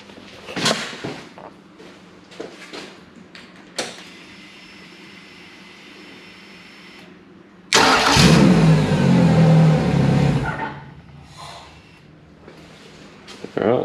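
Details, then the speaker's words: Yamaha F100 100hp four-stroke outboard that used to start, run half a second and cut out, now after fixing the IAC valve: it cranks, catches at once and runs steadily for a few seconds without stalling, briefly run without water. "Starts and runs. All it was the IAC valve. This one's fixed."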